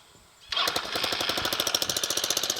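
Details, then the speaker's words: Small scooter engine for a homebuilt reverse trike, first start after muffler welded back on, burning off degreaser smoke: catches and settles into a quick, even putter about thirteen pulses a second, no blowing or rattling, much quieter; normal idle. "starts good still and sounds a whole lot better oh yeah I don't know if y'all can tell a difference on camera that sounds a whole lot better"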